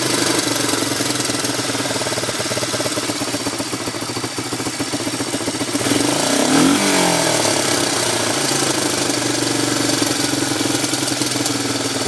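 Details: 1987 ATC 250SX, buzzy two-stroke idle with a fast metallic pinging and knocking from the top end that sharpens when the throttle is blipped; cause unknown.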